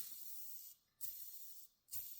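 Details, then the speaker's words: Worn engine bearing, spun by hand: two short spins give a dry, rough, loose rushing hiss with excessive play; this bearing is dead. "Là, il est il est vraiment trop libre pour un roulement moteur. Donc celui-là complètement mort."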